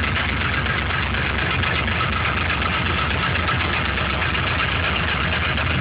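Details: LS1 aluminum block from C5 Corvette with truck accessories, 10W-30 conventional oil, cold start: quick, fairly steady ticking knock about four per second over engine hum; owner suspects piston slap; runs strong, no leaks or smoke.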